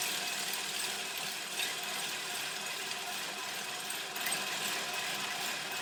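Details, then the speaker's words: Manual cylinder reel push mower being backlapped with grinding compound, reel spun in reverse by a drill for about 20 seconds: steady high rasping grind against the bed knife, fading as paste dissipates; normal sharpening noise. "Alright, well that was only about 20 seconds and I could hear the grinding paste sort of dissipate."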